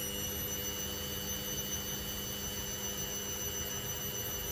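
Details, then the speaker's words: Candy Grand O Vita GV139D3 9 kg washer, 14-minute rapid test wash, low-speed distribution tumble before the 1000 rpm spin: steady motor hum, slow uneven drum rhythm, not wobbling badly. Normal slow distribution spin. "But even at that, it's not wobbling too badly. I don't think that's 1,000 spin yet."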